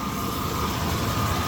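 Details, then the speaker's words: 1993 GMC Sierra 4.3 V6 idling after replacing a bad, wobbling pulley that had been rattling; steady low rumble with even light hum, no rattle or knock, pulley no longer wobbling. Normal idle. "that's not bad yeah so everything looks like it's running smoothly"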